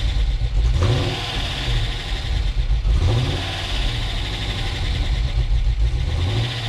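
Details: Dodge Challenger SRT8 V8, first start after a new fuel pump relay was fitted, belt worn and due for replacement: fires up and settles to a steady idle, with quick blips that rise and fall cleanly, no misfire or stumble.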